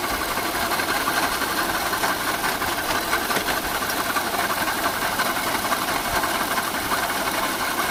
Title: second video of strange noise